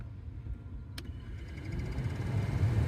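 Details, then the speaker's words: Chevrolet Express/GMC Savana rear auxiliary blower motor after replacing with a Four Seasons unit: single click then steady low hum swelling smoothly, no rattle or squeal; normal blower operation on low. "And holy smokes, it actually does work."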